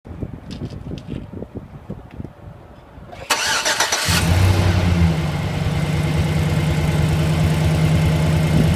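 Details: 2008 Silverado V8: it cranks, fires and settles to a steady idle with a quick tick in the rhythm. Engine ticking; could be a knock or an exhaust leak, unconfirmed.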